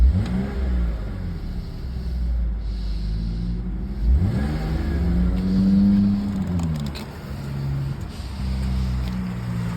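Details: Engine revs up then drops back to an uneven, stumbling idle with an irregular beat; engine misfire.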